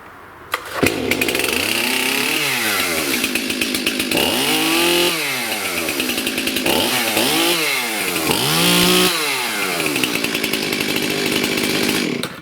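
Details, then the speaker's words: Stihl MS291 chainsaw that had no power and wouldn't rev, run with the carbon-plugged spark arrestor screen removed: snaps up through quick throttle blips and drops back cleanly with no bogging; clogged screen was the cause. "What I want to do here, just for fun, is I'm going to start it without the screen. All right, here we go. Sounds better already."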